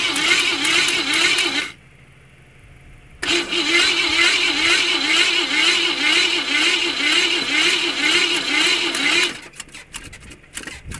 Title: Car wont start. Whats wrong with it?